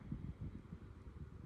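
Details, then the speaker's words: Restoration Hardware No.8 100mm desk fan after cleaning/restoration, tested on speed one: very slow with oscillation on, speeding up a lot once rotation is turned off; soft steady low whoosh, no rattle, tick or scrape, running healthy. "So, let's start off with speed one. As you can see, extremely extremely slow. I don't know why it's that slow, but let's turn off the rotation. It speeds up quite a lot now."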